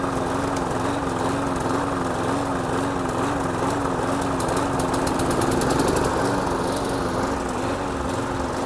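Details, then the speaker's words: Very old secondhand Hayter Hunter 46 lawn mower: even, steady putter at constant speed with no misses, knocks or hunting; healthy engine that cuts well; normal running. "That one's a lovely engine. I'm really pleased with that mower and it cuts absolutely great."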